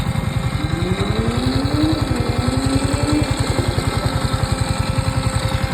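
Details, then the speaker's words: Yamaha R15 V4 motorcycle, seven months old, in first gear with clutch pulled: fast even idle thump with wavering, slowly rising tone; unexplained abnormal engine noise, dealer has not resolved it, cause unknown. "પહેલા ગેરમાં રાખી છે ગાડીમાંથી અવાજ ખાલી સાંભળો જોઈ શકો ગાડીમાં અવાજ ખાલી એકવાર એન્જિનમાંથી અવાજ આવે"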